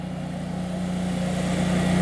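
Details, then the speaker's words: Generac home standby generator under load from the house AC compressor during a simulated outage: constant low hum with a steady pulse that holds as the load picks up; carries the load smoothly and runs very well. "Oh, sounds okay to me. Yeah, it's running very well."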